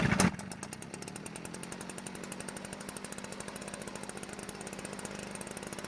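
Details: Stihl backpack blower two-stroke after opening the carburetor H screw about a quarter turn richer; after a short burst settles into a fast, even, steady buzz, no misses, running cleanly.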